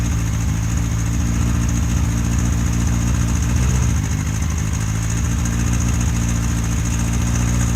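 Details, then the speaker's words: Honda CBR1000F motorcycle, just under 2,000 km since a supposed major service, after an oil change with a seized filter and grotty thin oil: fast idle, since set high to mask it, with a light busy ticking over the hum; timing-chain tick. "When he got it back, it was ticking like a bitch, idled up high, which they've adjusted the idle to try and stop it ticking as much down at low RPM at idle, which didn't work."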